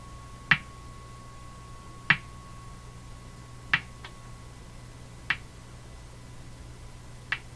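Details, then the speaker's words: Hammarlund HQ-180 receiver with motorboating fault: sharp single pops every second and a half over faint steady hum, appearing when volume is turned up; owner suspects the popping is in the audio circuits, unconfirmed. "see I turned it up and the pop started turn it back down this pop is in the audio circuits"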